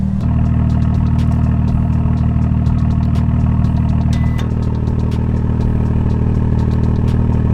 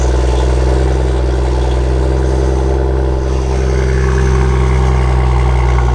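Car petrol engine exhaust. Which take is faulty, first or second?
second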